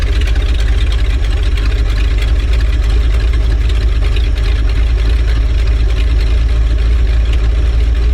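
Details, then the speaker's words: 1970s Ford dentside ramp truck with HEI ignition, sat about 10 years, on a temporary fuel supply: deep, steady, even V8 idle with no misses or knocks; it makes a faucet-like running sound. Fuel pump and possibly carb rebuild still expected to be needed. "I don't know why it sounds like a faucet running, but I think that's how you know it's good."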